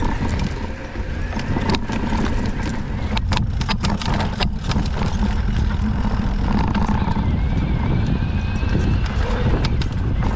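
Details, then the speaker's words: Fox 38 mountain bike fork creaking and cracking loudly as it compresses over roots and rocks, returning weeks after being serviced by Fox; likely to be sent back under warranty. "i'm trying to record the uh the noise that it's making today hopefully uh it's pretty pronounced so you can hear that cracking"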